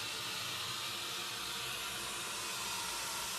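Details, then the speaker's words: Bang & Olufsen BeoCenter 5000 during tone board testing, powered through a 40 W dim bulb tester: steady, loud hiss across the treble with no tone or rhythm; radio static from the speaker at power-up. "That sounds like radio. That is definitely radio static."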